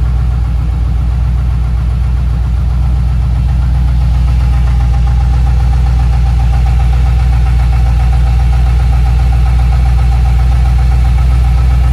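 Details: LS3 V8 on cold startup: deep even idle with a light tick two or three times a second, lasting about 1 minute then going away; owner unsure whether lifter noise or piston slap.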